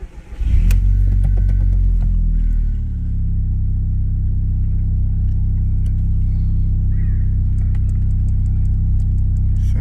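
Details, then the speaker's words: MK1 Audi TT Quattro after a Fluidampr and new belt tensioner were installed: engine starts and settles into a steady, even low hum with no knocks or rattles. It runs noticeably smoother, with less vibration than before. "pretty good already I could feel the engine's a lot smoother like I don't feel like vibrations like I did before"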